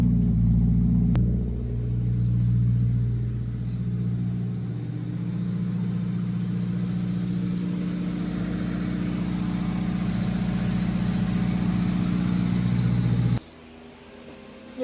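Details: Turbo K20 (K20A2) swapped EG hatch on a newly fabricated downpipe: engine catches and settles into a steady, deep, even idle with a low exhaust drone, no knocks or misses; running healthy.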